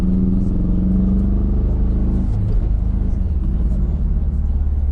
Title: MazdaSpeed 3; 5 to 65 (4th cylinder misfire)